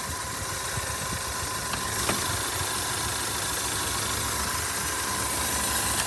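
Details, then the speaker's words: Subaru seven-passenger at a dealer auction, 154k miles, check engine light on, coolant low, nearly out of fuel: engine idles evenly amid lot noise, no knocking or stumbling; relatively smooth, runs fine. "sounds relatively smooth not interested in it's a Subaru the car runs fine it sounds good"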